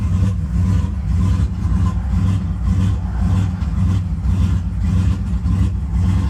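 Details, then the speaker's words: GM E38 turbo GMC truck, cold start with exhaust cutout open: idle surges badly and hunts up and down, swinging lean and rich, stalls, timing correcting, short-term trims adding about 25% fuel; fine once warmed up; owner suspects VE tables changing with MAF enabled. "It surges extremely bad. It's lean, it's rich, just kind of going all over the place. As soon as it's warmed up, it's fine."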